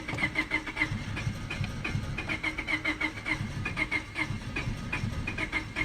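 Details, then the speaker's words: 1999 Honda Civic LX with overheating issues: steady rhythmic cranking chug that almost catches but never fires while radio and electrics work; crank no start. "You see how it's going? Now if I stop it, because it's not even coming on, but the radio and everything works, try again. See how it almost catches on?"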